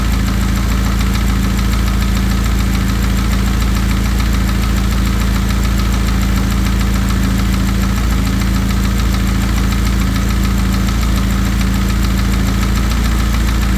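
Steady idle with an even, regular light knock about three times a second riding over the engine hum; sounds like piston slap.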